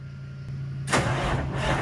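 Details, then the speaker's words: Retired truck Rooster, big diesel, start after repairs: starter whirs briefly, then it catches with a sharp bark and settles into a deep, steady rumble. "Brad fired up let's hear it let's hear it Rumble baby it's gonna have to sound good"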